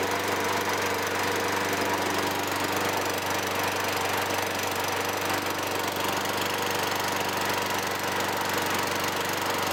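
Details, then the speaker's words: 2003 Toro Recycler 20016 mower with Tecumseh 6.5 engine, trash find with contaminated gas tank, after carb and tank cleaning; restarted after cooling down, early smoke gone, steady even idle with no misses, knocks or surging: normal running. "all right so you guys saw it overall it you know i had some smoke in the beginning i let it cool down started it again and the smoke did disappear"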